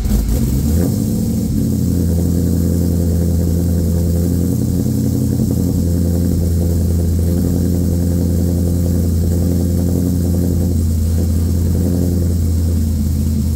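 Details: LQ4 V8 swapped into a 1985 Pontiac Trans Am, tenth first-start with a red hot cam and 4in exhaust: a loud, choppy idle with a steady, uneven lope and no knocks; normal cammed idle.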